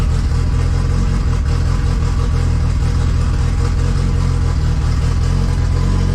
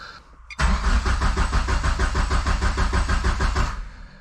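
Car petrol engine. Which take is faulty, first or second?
second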